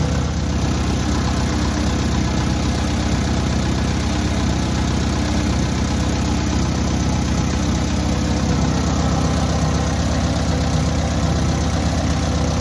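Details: Newly rebuilt air-cooled VW 1600cc engine at its first start and break-in: steady flat-four idle with a busy but even beat, no clatter or misses; normal idle.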